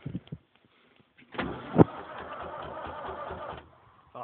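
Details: David Brown 990 tractor, cold start after a stubborn day with a fully charged battery, using the excess fuel valve. Couple of seconds of steady cranking with a dull churn, then drops off without catching. Cranks but will not start.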